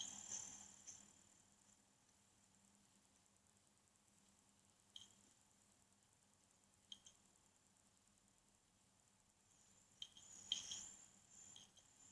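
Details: Acer S3-392G laptop, second replacement unit: loud, clear hard drive noise from the HDD side, faint fast ticking over a quiet hum with sharp seek clicks every few seconds; store staff deemed it acceptable.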